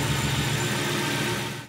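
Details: Grand Marquis Ford 4.6 V8 with new cheap aftermarket coil packs, misfire traced to a finicky coil connector: even, steady idle with no stumble or skipped beats until switched off; all cylinders firing cleanly.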